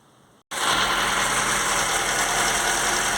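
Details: FSC Żuk old 1-ton truck idling after replacing broken exhaust manifold stud and ATF top-end treatment: even steady idle, hissy top end, no ticking or puffing; small leak remains between intake and exhaust manifolds.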